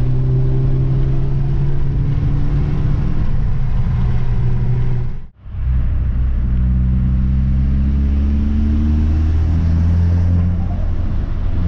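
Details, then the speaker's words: Audi S3 (possibly 8P) driving after new spark plugs and coil packs fixed a slight misfire with black smoke from sooted plugs: smooth, even engine drone, brief drop on the shift, then pulls cleanly with no stumble; normal running. "and to be honest it's running smooth as anything now before there was a slight misfire i was puffing black smoke because it was misfiring"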